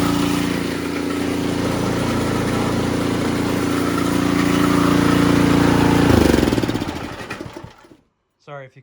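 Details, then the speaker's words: Ariens Sno-Tek 24-inch snowblower after fixing an impeller clunk caused by a rattling washer. Steady, even engine drone with impeller/auger engaging and disengaging quietly and no clunks, then a clean wind-down. "as you can see guys it is working better than it did when it was brand new it is engaging disengaging it is quiet as butter"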